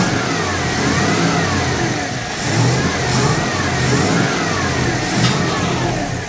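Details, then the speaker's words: 1980 Dodge W200, Magnum 5.9L V8, Holley 600 cfm carburettor, engine cold: revving from idle with a slight hesitation as the throttle opens. Off-idle stumble. "it's got an off off idle stumble now so I think now I got a baseline to go from"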